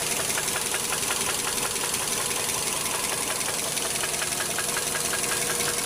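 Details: Engine with spun connecting rod bearings: a sharp, evenly spaced metallic knock rides over a steady idle without letup. Rod knock.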